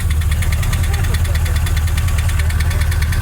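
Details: 2002 Chevrolet Silverado 2500 HD 6.0 V8 after the oil pump failed and a faulty gauge cluster hid zero oil pressure; recorded from the fender well at idle, heavy low rumble with a fast sharp metallic knock, rod knock.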